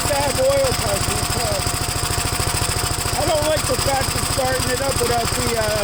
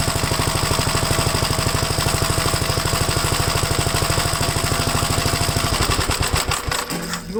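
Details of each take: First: Gravely single-cylinder engine at first start after gas tank install and new battery terminal: quick putter, a little uneven and rich-sounding, running on full choke; choke later turned fully off and it runs all right. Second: Second Gravely project's old single-cylinder engine restarted after installing the gas tank and tightening the throttle rod: a steady, even idle with no misses, slowing as it is shut down. The owner is unsure whether oil is seeping into the exhaust. Normal running.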